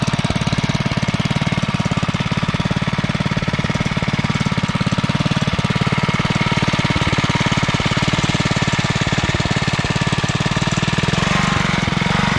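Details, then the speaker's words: Single-cylinder engine on a finished REO Trikeabout after a new homemade flywheel key and NOS points and condenser, running until it runs out of gas; quick even firing about 3.5 pops a second, no popping back, starting to come down slightly; normal running. "start running until it runs out of gas sounds like it's starting to come down a little bit"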